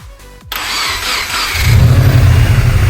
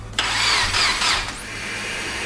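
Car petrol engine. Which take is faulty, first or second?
second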